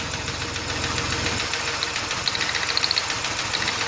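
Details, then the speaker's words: 3.0 engine at idle during a spark plug wire pull test for a misfire code; the idle roughens when this wire is pulled and spark is visible, so this cylinder's plug and wire fire normally. A lifter tap is also audible. "only can you hear the difference you can see the spark in there so that's not one that's not an issue that one's working properly hear it and see it we're good there"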